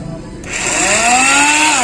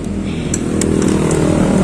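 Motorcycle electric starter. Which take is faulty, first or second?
first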